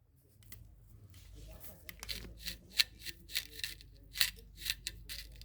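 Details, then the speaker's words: Rear axle bearing from a 1957 Chevy rear axle in a 1939 Ford Standard, spun by hand after pulling the axle: irregular dry, crunchy, gritty rasps instead of a smooth whir; bearings worn, need replacing (new bearing RW307R). "It's not supposed to sound like that, bro. Yeah, I need new bearings then."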